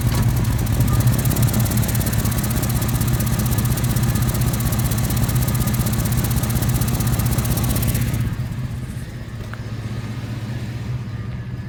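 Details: 1989 Chevy C1500 V8, cats deleted, Flowmaster 40s, headers recently reconnected: fast, sharp ticking locked to idle; exhaust leak at both collectors, worst on the right, where a three-bolt flange is missing a bolt.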